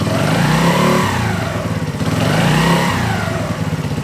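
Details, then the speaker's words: 2017 Polaris Outlaw 50cc kid ATV, bought secondhand, just started: small engine buzzes up cleanly on two quick blips then drops back to idle, revving freely with no misfire or rattle; normal throttle response. "And then I'm going to give it a quick rev."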